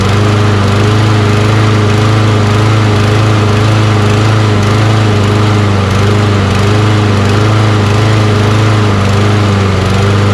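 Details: Toro Recycler mower with Kohler XT675 engine after adding fuel injector cleaner to old fuel: steady, even single-cylinder drone with no hunting or misfires; runs normally, though still hard to start.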